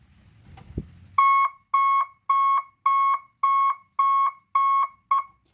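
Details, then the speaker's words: Three-tone reverse alarm on a 24-volt truck, red wire connected: clean mid-pitched beeps about twice a second in a steady on-off pattern; reversing tone working as wired. "untuk atrak tapi kalau kita gabungkan kabel kuning sama kabel warna merah Ya seperti ini itu mengatrek seperti itu suaranya ya"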